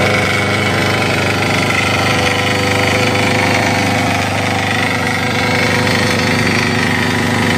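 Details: Crown CDP 80 3-inch diesel water pump, single-cylinder, fuelled and oiled, primed with water, started after decompression: loud, fast, fairly even clatter about three beats a second, no misses; healthy.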